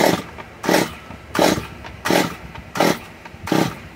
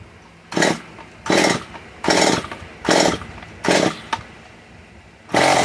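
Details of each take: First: Stihl MS 194 T chainsaw being started, choke just taken out after pulling: short rough bursts about every 0.7 seconds that fall back without running; coil seems to work, owner suspects a little water; sputtering. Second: Stihl MS 194 T chainsaw being repaired, started after fitting new parts and removing choke; short sharp revving bursts about once a second dropping back between, then runs fine; coil works, owner suspects a little water from cleaning; normal running.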